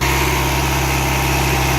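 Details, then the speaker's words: 4G63T engine in an Eclipse after fixing a cylinder three misfire (missing spark plug electrode) with fresh plugs, coolant and new fuel system: steady even idle, firm low rumble, no stumble, running smoothly on all cylinders. "let's see what it sounds like now goes give a fuel pressure up Mitchell check [Music] Wow well it sounds a lot better guys"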